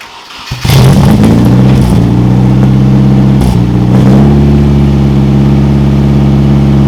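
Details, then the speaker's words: Nissan KA24DE swapped into a 240SX S13 coupe, after crank-no-start diagnosis; distributor timing set by ear without a timing light, still suspected off. Fires and settles into a low, slightly wavering, uneven idle; rough idle, cause unconfirmed. "it seemed better at times, and then it was worse, better, worse. Now it seems to fire up and idle pretty good until it dies, obviously."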